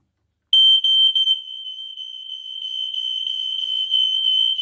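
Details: Interlinked home alarms during testing (EI146 smoke alarms on landing and downstairs): loud piercing high tone pulsing rapidly and steadily for about four seconds; smoke alarm sounding normally.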